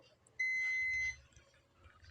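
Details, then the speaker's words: Continuity test on an ACCL (automatic generator changeover with current limiter) board: one steady high beep under a second from the anode of an SMD diode in the last section checked; the diode reads shorted and has failed. "ഈ സെക്ഷനിലും ഒരു SMD diode പോയിട്ടുണ്ട്. ഡയോഡിൻ്റെ ആനോഡിൽ നിന്നാണ് ഈ sound വരുന്നത്."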